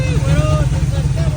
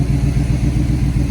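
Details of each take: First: 1978 Chevrolet C10 after carburetor part replaced and fuel feed corrected (engine was getting more air than gas), electric fuel pump added: deep steady even rumble, no misses, running smooth. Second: 1978 Chevrolet C10 V8 at idle after fuel pump wiring: uneven lumpy beat with occasional stumble in the low rumble; slight misfire, owner suspects the spark plugs.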